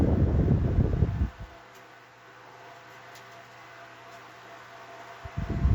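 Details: Restored vintage Galaxy 12-inch table fan running on medium speed: a soft, steady motor hum of even pitch between handling noises, with no rattle or scrape. Running smoothly.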